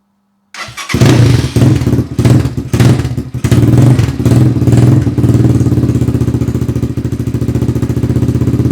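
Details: Rebuilt XR200R-based single fitted with a Chinese motor and CRF/XR150 parts: catches after a short crank, a few throttle blips, then settles into a steady, even single-cylinder idle; runs healthy and strong.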